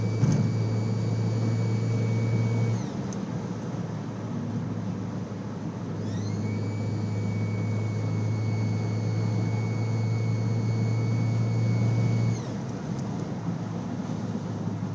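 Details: Audi A4 B6 turbo: a high steady whistle rises with revs and drops on release. Turbo whine from one bent compressor fin, caused by AFE intake pipe grommets (incl. PCV grommet) breaking and being sucked in.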